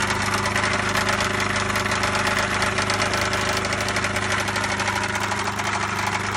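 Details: 1999 MerCruiser 3.0 marine petrol engine at idle: steady low drone with a fast, uneven knocking on top; owner asks what the knock is.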